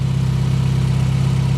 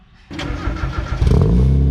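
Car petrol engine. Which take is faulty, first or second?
first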